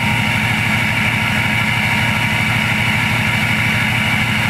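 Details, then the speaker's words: 6.0 Powerstroke diesel on a Gearhead tune, at its first startup indoors after a KC Turbos 10-blade balanced turbo assembly install. The VGT has not kicked on, so no pre-spool; a smooth low rumble with soft turbo hiss and no knocks; normal idle. "The VGT hasn't kicked on just yet, so the turbo's not like pre-spooling. And the tune that I'm running right now, it doesn't really spool it very loud."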